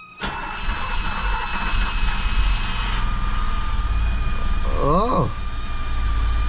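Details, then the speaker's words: 1978 BMW E12 530i M30 first start in 16 years, after a new fuel pump, with the pump fed from a jump box: short crank, then it catches and settles into a quiet, smooth, steady run. "look at that she's running is this so honored you turn it off oh my god it she runs she actually runs oh my God look how quiet it is and smooth"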